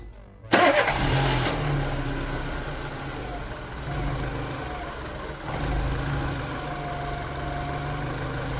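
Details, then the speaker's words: Peugeot 206 1.4 petrol that had no spark or fuel, fixed by bridging a faulty BSM module: short crank, engine catches and settles into a steady, even idle with no misses; starts and runs properly. "the engine started the problem was in the BSM module, i.e. the car fires, the spark and the fuel came back everything works as it should."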